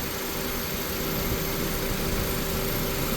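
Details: 2001 Honda Civic at idle after fixing surging by servicing the idle air control valve, with its coolant lines: smooth, even idle with a steady low hum, no rise or fall in speed.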